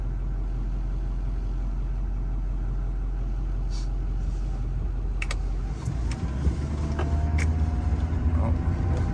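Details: 2007 Chevy Duramax LBZ diesel with 920,000 km, on a PPE tuner at stage four, check-engine light on for broken glow plugs, driving on a windy day. A deep rumble builds as it pulls away with a faint rising whine; the turbo sounds healthy.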